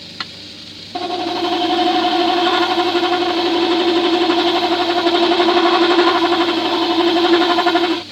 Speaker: You hear the rest chatter in there. That's because it's not tight enough.